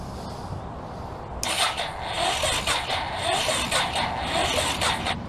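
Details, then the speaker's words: Old forgotten Honda engine with janky, poor wiring connections: sluggish, dragging starter whir in uneven surges, never catching; the battery is judged weak. "okay well my battery's trash"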